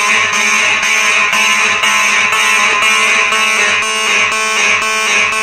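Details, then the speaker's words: Simplex electromechanical fire alarm horns (4903 series, 2099 etc.) on a Simplex 4004 panel set to march time: loud buzzing horns pulse on and off about twice a second in an even beat; working properly. "i'll tell you what that sounds pretty good on march time second thing with these electric mechanical horns you know every time you have these on march time they sound pretty good yeah it's kind of a beat to it"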